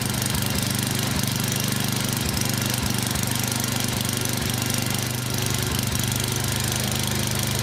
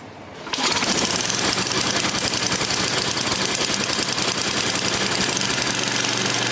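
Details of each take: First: Yard Machines 24 in snowblower, 8 hp Tecumseh engine, hard-start diagnosis, primed several times; loud rough-edged single-cylinder chug about three and a half beats a second, steady, no stalling, runs normally. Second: Yard Machines 24-inch snowblower, 8 hp Tecumseh engine, hard-starting, sat a week, cold start around 20-something degrees, full choke, about seven primes: catches then runs with a fast uneven crackle; still cold, needs more choke and primes.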